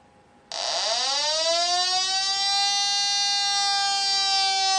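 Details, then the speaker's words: TPI 720B combustible gas leak detector exposed to butane from a lighter: loud steady high-pitched alarm tone with red LED, indicating combustible gas detected. "you see a visual alarm here indicated by the red LED and you can hear that a long time"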